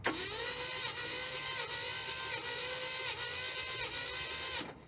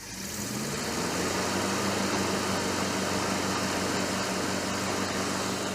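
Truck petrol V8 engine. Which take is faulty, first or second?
first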